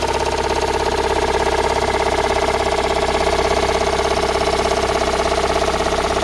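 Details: Toyota Raum 5E-FE engine after rebuild, idling: a sharp, even knock about three times a second rides over the steady idle; an internal knock, source not pinned down.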